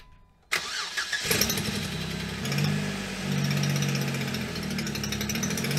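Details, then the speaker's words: 2007 Jeep Wrangler JKU Rubicon, first cold start after three years abandoned, on three-year-old gas with freshly added 5W-20 oil: fast cold idle with a raspy, puffing chatter on the exhaust note. Owner suspects a small exhaust leak that may go away when warm; not confirmed. "i think we got a little exhaust leak or something going on now i wonder if it'll go away when it warms up"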